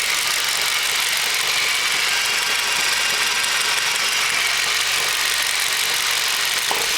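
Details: 2006 2.0L Duratec, 300k miles, Evap codes P0455/P0457, runs well: idle with light fast knocking from exhaust side over loud hiss; owner asks if spark knock; loud valve ticking on decel.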